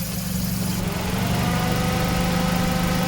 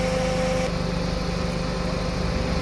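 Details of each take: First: Suzuki Ciaz at idle with AC on, about 85,000 km: steady drone with rubbing, whirring tone from a worn, misaligned AC compressor clutch plate; fixed by replacing the clutch set, compressor oil and receiver-drier filter. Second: Suzuki Ciaz at idle after replacing the AC clutch set, changing compressor oil and the receiver filter; outside 34°C, cabin air cold; steady even idle with compressor running smoothly, no clutch chatter.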